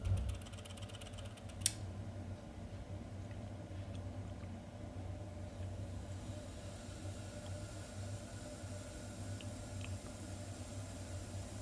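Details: Ideal C28 Mini gas boiler: a low steady buzz with a few faint clicks; the fault is intermittent but increasing; owner likens it to a trapped PC fan, seemingly from the area near the diverter valve, gas valve and DHW flow switch.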